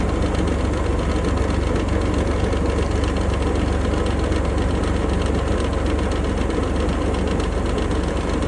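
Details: 2020 Range Rover Sport P400e at steady idle with a fast, slightly uneven rattle of about three beats a second over the engine note; source not pinned down.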